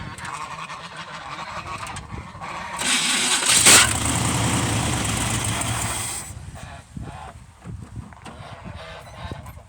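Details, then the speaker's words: 1971 Chevrolet pickup with swapped-in 454 big block: harsh metallic grinding for about three and a half seconds while cranking; starter grinds despite trying zero, one and two shims; battery contact also poor. "That starter, I've took all the shims out. I put 1 shim in, I put 2 shims in. It still sounds like it's trying to grind itself to death."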